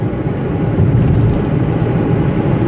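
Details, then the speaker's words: Toyota Etios coasting in neutral on a level road after wheel bearing replacement, earlier humming thought to come from the front right: soft, even road rumble from worn tire tread only, bearing hum fully gone. "ചെറിയൊരു noise ഉണ്ട്. Tyre thread ഏകദേശമൊക്കെ ആയിട്ടുണ്ട്, അത് നോയ്സേ ഉള്ളൂ. ബെയറിങ്ങിൻ്റെ ആ മൂളിലൊക്കെ ഫുള്ളായിട്ട് പോയിട്ടുണ്ട് കേട്ടോ."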